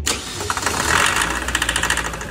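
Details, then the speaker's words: Slow-to-start SsangYong diesel that won't start properly hot or cold, morning or afternoon: starter cranks steadily for seconds with rhythmic compression pulses before catching; filters and low-pressure system already replaced/checked, injectors checked OK, rail pressure rises to 270 once fuel pressure builds. "en ningún momento enciende bien se demora muchísimo en encender"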